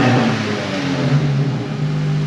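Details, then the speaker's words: Ford Focus WRC project car first running after 4+ years off the road, started on booster pack, some sensors possibly disconnected: steady even engine note, smooth low hum, no knocks or misses; normal running. "and then on the button how good that sound"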